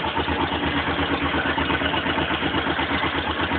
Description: Knocking sound coming from top-end when engine is cold. After warming up the sound quietens and disappears.